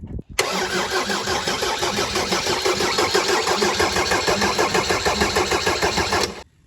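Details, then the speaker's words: Mercedes 190D W201 diesel after stainless fuel line replacement, cold April day: starter churns about three beats a second for six seconds without firing while an injector is cracked open to bleed air until fuel arrives. "So Lewis is in there now, he's going to crank it over. What we're looking for is fuel to come out of here, but it'll probably take a while."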